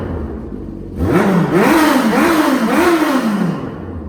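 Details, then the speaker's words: Smart car after carb cleaning and rejetting: four quick revs rise and fall cleanly, each dropping back to smooth idle without stumbling or popping; normal throttle response. "all right we're gonna see how the throttle response is if it blips real nice"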